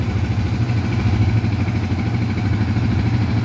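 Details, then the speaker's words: Yamaha Vixion fuel-injected motorcycle after repair of several faults (socket and ECU replaced; a non-original stator had damaged the ECU); it previously ran rough. Now a steady, even low putter with no stumbling: a normal, fairly smooth idle. "Udah ada suaranya lumayan halus ya menurut saya suaranya lumayan halus lah ini sebelumnya kasar kempracak"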